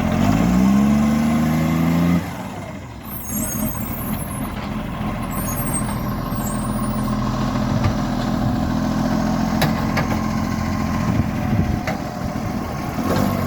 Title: 45 with an exhaust leak